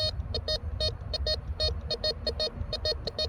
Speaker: Tracker 4 gave us a nice high tone for the gold ring.